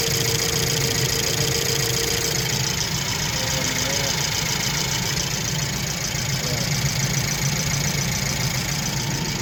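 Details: BMW 118i four-cylinder after replacing faulty cylinder 4 injector (had misfire, cutting out, smoke, shaking, low fuel pressure codes): steady, even idle with smooth low hum, no stumble or shake; normal idle.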